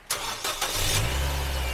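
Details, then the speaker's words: 2014 Nissan Evalia manual, used, cold start: short crank, catches first try on a good battery, settles into a smooth, even, slightly fast cold idle with RPM high while cold; healthy start. "Aki masih oke, sekali jereng langsung hidup."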